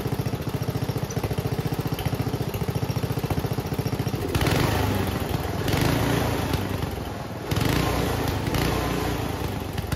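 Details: Homemade junkyard go-kart small single-cylinder after reassembly. It idles steadily, then revs cleanly in bursts with no pops or bangs; the backfiring seems fixed.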